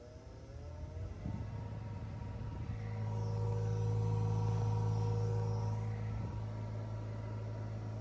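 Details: 2012 Dodge Grand Caravan front interior blower motor, below passenger glove box: steady hum with whirring tone swelling as the fan speeds up, louder than a healthy blower; noisy blower motor, being replaced.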